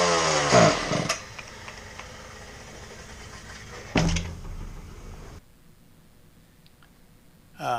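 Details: Husqvarna K770 concrete power cutter, new spark plug, cylinder unscored: catches in short rasping bursts, fails to hold revs, falls away and dies; bogging.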